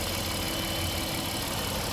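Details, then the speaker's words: 2018 Honda Odyssey at idle during a pre-purchase inspection, heard under the hood. The idle is smooth and even with a steady hum and no knocks, ticks or whines: normal idle. "Sounds normal. No abnormal noises."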